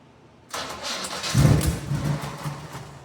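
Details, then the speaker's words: 1979 Chevy C10 first start after 9 years in storage, carbs done and distributor in: cranks, catches, runs lumpy and uneven with surging revs; throttle sticking slightly open, owner suspects ignition timing off. "Well, that didn't go as planned. Throttle is actually sticking open a little bit and I'm sure the timing's off a little bit."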